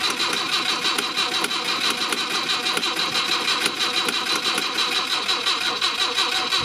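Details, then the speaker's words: Mk1 Ford Cortina original 1200 petrol engine, on jump pack, suspected dodgy ignition switch: rhythmic starter cranking about three turns a second, never catching; cranks but no start, fuel or spark suspected, unconfirmed. "Right, so can't really smell any fuel unless somebody's drained the fuel out of it."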